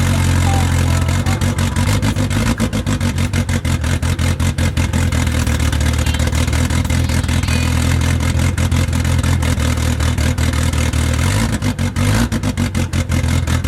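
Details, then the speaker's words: Honda S2000 AP1 after turbo install, first startup with two clamps still missing, not revved: loud deep steady rumble with even pulses, no knocks or misses, healthy idle; turbo not spooling at idle. "all right so as you guys saw the first startup it went perfectly fine"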